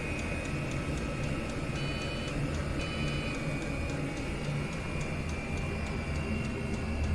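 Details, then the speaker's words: Chinese diesel air heater running on kerosene, exhaust feeding a homemade radiator heat exchanger, during warm-up: sharp, regular fuel pump ticks about three or four a second over a steady fan hum; pulsing fast, normal until it slows at its setting. "there you can hear that pulsing away quite quickly um in a couple of minutes that that stabilizes that that goes slower than that once it's um got to its seat setting"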